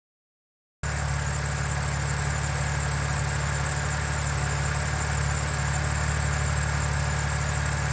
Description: BMW N52, still no ticking after 2700km. I am happy.